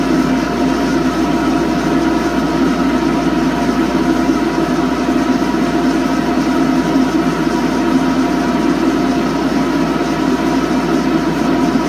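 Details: ILG 10-P blower, 1/3 HP 3400 RPM three-phase motor running on single-phase 240 V via 10 µF capacitor static phase converter; steady rough whirring hum over air rush from worn motor bearings, not yet replaced.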